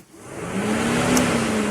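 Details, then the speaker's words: Mini Cooper radiator coolant fan tested via relay tester at the fuse box, speed 2 relay circuit powered: steady rushing air and even hum building to full speed; high-speed fan works, speed 1 resistor found corroded and broken. "so that one works the fan works on that one"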